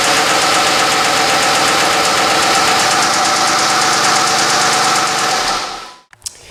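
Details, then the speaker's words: 2005 (or 2008) Dodge Magnum SXT 3.5L V6 AWD: a sharp, steady metallic knock rides over the idle with every crank turn until shutdown. Metal was found in the oil filter, and the owner suspects rod knock, though this is unconfirmed. "so this thing has a absolutely horrible rod knock going to it or some kind of knock I don't know that's what we're gonna start looking into today"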